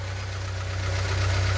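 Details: VW Fox 1.0 petrol engine, still cold, with oil pressure near 4 bar; owner suspects a lifter for an upper-engine noise. Smooth, even low hum at idle with no ticking or tapping from the top end; normal idle.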